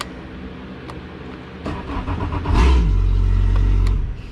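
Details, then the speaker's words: Boat engine that would not turn over, after cleaning ground and positive connections at the battery switch: the starter cranks briefly and the engine catches into a steady low rumble with no misses; normal start, owner hears a possible slight delay. "now to me I mean that's great I think that's what it was but also sounds like I have a little bit of a delay maybe not"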